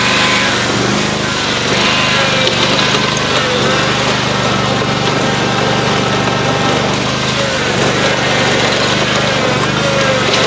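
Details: Lawn-Boy zero-turn mower after Hydro-Gear axle upgrade from 3/4" to 1" and reassembly, first fire-up: steady, even engine drone with a smooth constant note, no knocks or grinding; runs normally.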